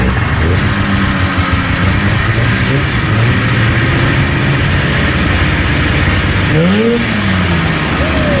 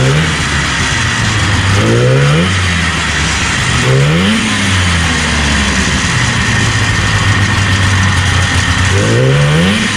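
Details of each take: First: 1977 Arctic Cat El Tigre 4000 440cc free-air vintage snowmobile with Mikuni round-slide carbs, after the needle clip position was adjusted. The two-stroke picks up cleanly on the throttle and revs freely without bogging; the low-end bog is cured. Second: 1977 Arctic Cat El Tigre 4000 440cc free-air snowmobile, Mikuni round-slide carbs, needle clip moved one position leaner; revs surge raggedly and stumble between idle stretches, popping; low-end bog on acceleration.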